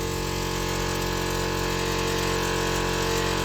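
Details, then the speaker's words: PJ trailer air-ride compressor just after rewiring, airing up to about 40 psi with a leaking rear airbag suspected: steady, even motor hum with a quick regular pumping beat, about three strokes a second. Compressor runs normally; owner unsure it will shut off. "give her a minute to air up and uh we'll go look at that leaking airbag all right she's still airing up we got about 40 pounds in her"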